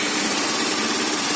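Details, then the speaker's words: Honda Beat/Spacy injected scooter at idle: slightly limping, uneven beat with sluggish throttle response; the idle-air passage in the throttle body is dirty and damp, and the TPS reading is inaccurate. "Nah, ini suaranya udah agak pincang."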